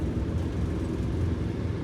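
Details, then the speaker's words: Prevost bus RV conversion, Detroit Diesel 8V92TA, after jake brake and exhaust leak repairs: deep steady blatting rumble holding the coach downhill with Jakes on high setting; engine brake working properly, though pyrometers read unevenly (left ~300, right 450). "Is that in the high setting on the Jakes? Yes."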